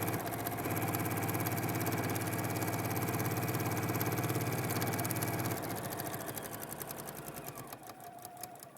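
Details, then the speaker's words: Sewing machine foundation paper piecing at a 1.2 stitch length: quick, even stitching at about three and a half stitches a second, steady until it slows and stops. Normal machine sewing. "you want to have your Stitch length set at 1.2 a 1.2 that's tight"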